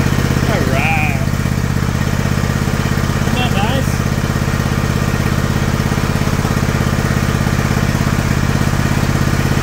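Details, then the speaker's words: John Deere LX178 single-cylinder mower engine with new replacement carburetor after choke start, throttle cable disconnected: even steady thump at idle, no misses or surging; normal idle. "nice I'm going to look at see if I can slow that down a little"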